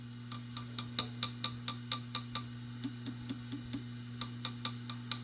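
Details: Vox AC-15 preamp tube (12AX7, in the cover) tapped with a wooden brush; light taps twice a second each ring with a bright metallic ping through the amp; tube suspected microphonic, later swapped for ECC83s.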